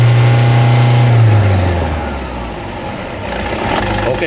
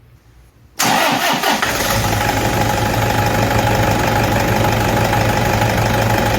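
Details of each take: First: Toyota D4D diesel at steady, even idle with smooth low drone, no squeal, chirp or rattle from the belt side; runs normally. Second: Toyota D4D diesel fires up and settles into steady idle with a faint constant whine over it, identified as idler pulley noise.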